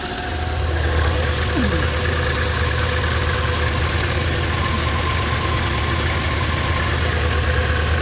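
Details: 2001 Subaru Outback after a power steering return hose leak repair, with starter trouble resolved: steady, even low idle with smooth firing and no knocks, squeals or stumbles; the engine idles normally.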